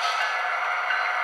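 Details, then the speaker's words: Athearn SD70AH model locomotive running at speed step 10: thin, even, raspy hiss of the gears grinding because the new drive is not yet broken in. "might hear the gears and subs grinding that's cuz I haven't broken it in yet"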